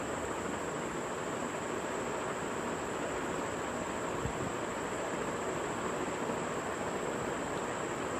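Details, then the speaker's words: Ceiling fan after repair of the worn bearing/shaft that caused tick-tick clicking: a steady even air rush with a faint high whine and no ticking. Now running smoothly. "you hear there is no noise coming out of the ceiling fan anymore"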